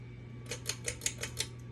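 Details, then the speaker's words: Baseball ceiling fan from 2013 on high speed: six sharp ticks about five a second over a low steady hum; fan wobbles and taps because its mounting bracket isn't fully seated. "So this high speed is annoying because I can hear it taps. No wobbling."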